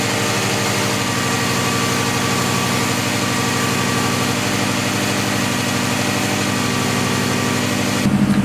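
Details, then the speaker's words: Subaru STI first start after winter storage, oil and fuel primed, correct map loaded: steady, even boxer cold idle with smooth low burble, no ticking; good oil and fuel pressure, oil temperature not up, no knock feedback. "so got good oil pressure sweet got fuel pressure sweet oil temperature obviously isn't up"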